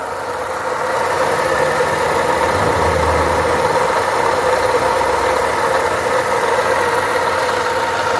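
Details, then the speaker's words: 2011 Ford Ka Zetec at idle: constant rattly rumble and gravelly whir unchanged with speed, traced to a worn water pump bearing with play. Water pump bearing noise. "Vocês estão ouvindo o barulho né a bomba d'água É isso aí"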